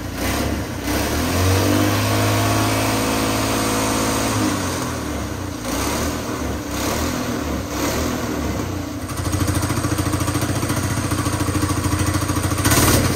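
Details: Petrol engine converted to run on hydrogen, hydrogen carburetor modified, running on petrol with hydrogen reduced: fires up and settles into steady running with a few rev changes, no knocks or misses; running fine.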